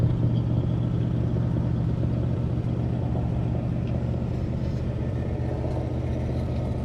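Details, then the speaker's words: 1967 Corvette Stingray V8 after sitting decades, oil pressure up, no water pump fitted: fires and settles into a steady, even idle rumble with no tapping or misses; normal idle. "we don't have a water pump hooked up so we're going to give her about 15-20 seconds and we'll shut it down wow that sounds good"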